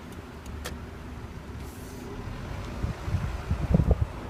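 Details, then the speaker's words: Car with new brakes, rotors and sway bars. At crawling speed, dull low thumps and pops come with every brake application over quiet road noise. Popping when braking at low speed; cause unknown. "Every time I press on the brakes, I'm getting a popping sound."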